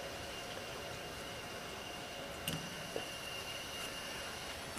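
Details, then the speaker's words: Water fill valve after cleaning rust off it, diaphragm in good shape, lever lifted to bypass the regulator: steady, even rush of water with no chatter or hammering; quick fill flowing normally. "oh the regulator's working i lift the lever it bypasses the regulator function and goes to quick fill"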